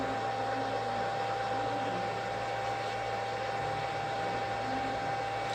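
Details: REGEN-I BK-I300 BGA rework station heating a TV board BGA chip, hot-air upper heater ramping through 80, 200 and 250 °C steps: steady airy hiss with a faint constant tone, no fluttering or cutting out; normal hot-air heating.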